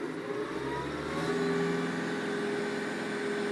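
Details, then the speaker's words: Massey Ferguson MF1759 compact utility tractor, in cab with fan off, 10-degree day, in neutral at full revs: thin constant turbo whistle over the diesel drone, normal turbo whine, a little louder than a Kubota's. "There's a high-pitched whine from the turbo, and it's louder than, I think it's a little louder than the Kubota."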